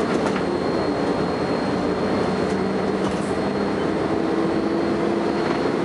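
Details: First Manchester Volvo B10BLE bus 60403 (S670SVU), recorded 30 May 2011: a thin, steady whine over the heavy drone of the running bus; strange high-pitched whine, source unknown.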